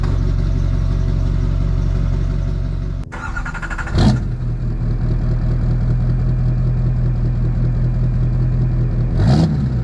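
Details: Duramax diesel after stainless steel exhaust up-pipe installation: steady low idle, then restart with a couple of quick rev blips that climb and settle smoothly; runs healthy.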